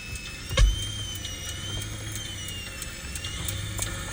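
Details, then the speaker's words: 2002 Lexus LS430, engine running: thin high whine through the stereo wavering with engine speed, present only with the added Bluetooth connected, stopping when unplugged; owner suspects the whiny alternator, unconfirmed. "So then I disconnect, it stops. So the only thing I can think of is the mere fact that the alternator is whiny and it doesn't really affect anything normally, but then when I added the Bluetooth, it connected."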